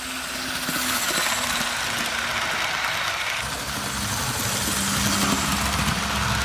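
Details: Tyco model Burlington Northern GP-20 locomotive test run after repairs: a light whirring motor hum with a faint tone over steady rail hiss, the small motor running smoothly and evenly along the track; normal running.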